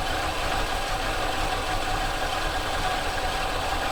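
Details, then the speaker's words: Dodge Monaco with Thermo-Quad carburetor after kickdown adjustment: idle very low with a lumpy uneven chug that threatens to stall; rough idle, kickdown issue suspected. "Oh, it's running. Okay. It's really low idle, holy cow. Oh, it sounds so bad. It sounds like it's gonna die."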